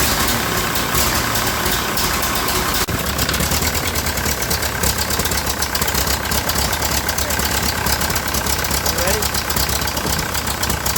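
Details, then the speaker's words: Old Ferguson TEA20 tractor engine idles roughly with harsh raspy puffing after valve adjustment; big exhaust leak at the manifold, gasket suspected, manifold to be removed. "I've got a massive exhaust leak over on this side. I gotta take the manifold off and see what's going on with the gasket."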